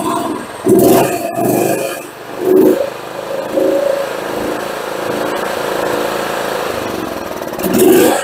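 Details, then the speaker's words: John Deere GT262 lawn tractor after new parts fitted, still running some old fuel: small engine surges unevenly instead of holding steady revs; owner attributes roughness to old fuel. "running a low idle that's good you can tell it's still got some old fuel in it"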